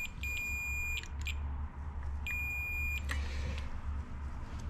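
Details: 1993 Ford Explorer starter (fender) relay, corroded contacts cleaned: two clean, steady high-pitched meter beeps about a second each, showing the contacts now pass current.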